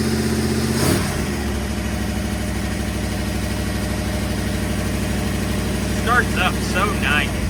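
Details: 1958 Ford F100 after new fan relays were wired in, starting to warm up to temperature (given two pedal pumps before cranking): catches promptly and settles into an even, steady idle with a smooth low rumble, no misses or knocks.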